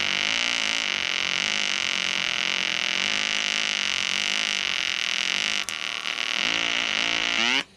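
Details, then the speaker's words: EWM Tetrix XQ 230 Puls AC/DC Expert 3.0 TIG welder, pulsed, rigid curve mode, fairly aggressive with probably slightly higher heat input: steady hard hiss with fast wavering buzz; amperage lowered once the workpiece is hot. Stable pulsed arc. "Donc là on entend bien le générateur qui donne très peu. En fait, une fois que la pièce est chaude, il adapte l'ampérage."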